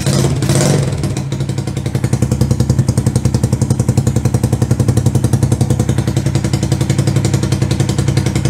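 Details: 125cc CCW Sinnis Heist chopper single after carb float-height adjustment: brief rev, then settles into an even, steady low-rev thump, idling and holding without stalling.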